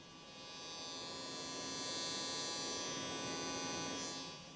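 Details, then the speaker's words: Quadra 700 replacement floppy drive after cleaning and regreasing, powered outside the drive cage with a disc inside: steady high buzzing motor drone with no eject clunk, motor spins but the disc is not ejected. "I did notice I left in the sacrificial floppy uh disc and it sounds like it's trying to eject that but the eject mechanism is still not working for some reason"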